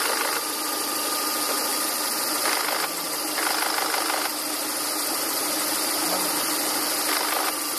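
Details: 2000 Volvo V40/S40 1.8 122 hp engine at idle: a steady idle with a dry, raspy hiss over the top and a few louder swells. The source is not identified. Rasping noise at idle.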